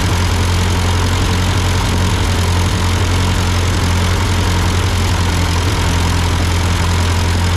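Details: Ford 8N tractor idling after an amateur carburetor adjustment. Uphill sputtering had been traced to a cheap Chinese replacement carb; an old Marvel-Schebler ran fine. Steady, low, even idle with a smooth firing beat and no misses, knocks or hunting; a normal idle.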